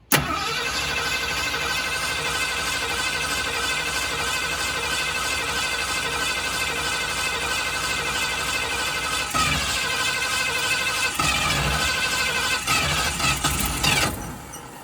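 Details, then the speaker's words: 1965 Ford Fairlane, first start, new gas tank fitted and fuel pump inlet fed directly from a gas tank. Second attempt after letting it unflood: starter churns about fourteen seconds with faint firing hints, nearly fires but won't start. "ah so close oh we're getting there"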